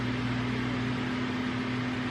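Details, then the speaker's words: 2015 GMC Acadia 3.6, cold engine at idle, A/C off: loud steady cooling fan roar on high with a constant low hum; faulty engine coolant temperature sensor, causing hard start and stalling. "So the fan's kicked on already,"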